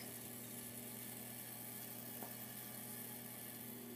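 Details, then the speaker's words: 42" Hampton Bay Littleton ceiling fan at medium speed with light kit and globe fitted: quiet steady hum with faint constant buzz from a loose little screw in the light kit vibrating. "and it's the light kit buzzing around oh it's this little screw that's buzzing around"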